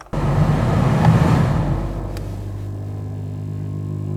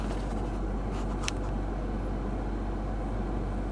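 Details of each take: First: Lexus 200h AC blower after repair with superglue, engine on: fan spins up to a smooth steady hum, stops and restarts evenly, earlier grumble completely gone; normal blower running. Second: Lexus 200h cabin: a steady, deep, low-frequency grumbling hum that vibrates the car, heard from under the dash with the camera against the steering wheel. It goes silent when the AC blower is switched off: a noisy blower motor.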